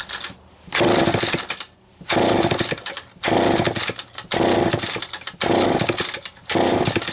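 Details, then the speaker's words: Vintage Homelite two-stroke chainsaw, a recent acquisition, first start after choke came off, throttle lock not working: revs come in bursts about once a second with a rough burbling buzz between them. Running rich; oil pump function still to be checked. "well she is running rich I just want to see if this oil pump is working before calling at a night and going to find some parts"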